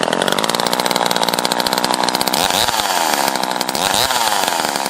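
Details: Craftsman Poulan top-handle chainsaw after rebuild and fixing the spark plug wire prong that caused intermittent spark: crisp, steady high-pitched two-stroke buzz with fast even firing and small throttle swells; running cleanly on restart.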